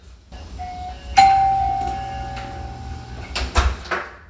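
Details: Old electromechanical doorbell chime on a hollow interior wall, wired to a Heath/Zenith Secure 360 video doorbell, after a resistor was added to fix hum: clean clear ding fading over about two seconds with no buzz; working normally.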